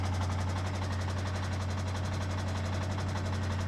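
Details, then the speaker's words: 2015 BMW 650i petrol V8, about 127,000 miles, at idle on startup: heavy, fast metallic rattle over a deep drone like a paint can, suspected loose timing chain; tapping later quit. "low battery please start the engine well if you say so that's your timing chain and it's come loose that is why I think she's here"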